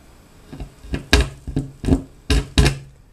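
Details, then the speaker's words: Vintage 1960s Newcomb 1625M tube record player/PA amplifier: irregular sharp pops and crackles over a quiet hum; owner suspects a touchy, bad speaker connection and plans to clean it with DeoxIT; speaker crackle. "Is that a bad speaker connection? That's touchy."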